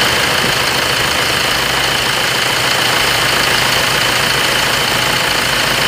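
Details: Tiger D4D diesel that cranked long on morning starts. After replacing parts and bleeding the fuel, it settles into an even idle, a steady clatter of about three beats a second with no stumbling: normal diesel idle.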